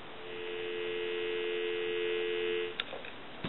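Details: Western Electric 5302 rotary telephone during checkout. A clean, steady dial tone hums evenly for nearly three seconds, then a couple of soft clicks; the line is working properly.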